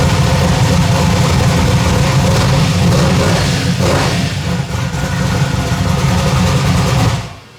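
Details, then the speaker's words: Rebuilt V8 first start on temporary plugs, no tune or timing set yet: loud deep lumpy rumble for about seven seconds, then shut off; it runs but needs tuning. "yeah all right it fired up uh the camera wasn't going this ain't got but about three percent battery left but it did fire up I got to get some plugs and put in it"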